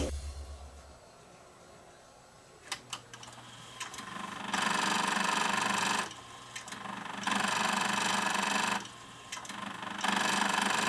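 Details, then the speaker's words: Akai GX747 reel-to-reel tape deck (two-speed, auto reverse, six glass heads) grinding as soon as powered up: a click, then buzzing grind bursts about every 2.5 seconds; sounds like gears stripping, traced to gear slipping on a loose actuator motor. "It sounds like gears are are stripping in here"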